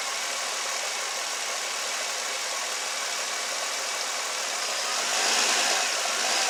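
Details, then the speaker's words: Nissan Altima with P0300 misfire code, after fitting new NGK double platinum spark plugs, idling in reverse with the brake held under load. Even, steady idle with no stumbles or skips, so no misfire and it sounds smooth. "Everything's working fine on the car. It sounds really smooth."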